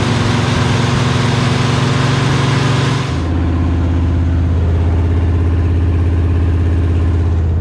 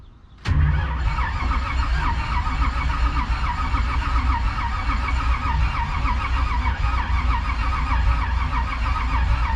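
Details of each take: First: 1968 Chevy Bel Air small-block V8, first run after sitting 8 years, oil pressure around 30 psi at 2000 rpm. Deep rumble drops from fast idle to an unsteady, stumbling low idle; rough idle. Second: Steady, even starter cranking with no firing on a 1968 Chevy Bel Air small-block sitting 8 years, using jump-start mode; turned over to build oil pressure, gauge reaching almost 20 psi.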